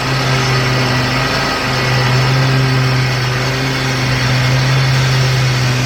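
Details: Troy-Bilt XP zero-turn mower after the loose deck belt problem was fixed: a steady, even engine drone and hum while the blades hold full speed without dragging the engine down. The deck works normally.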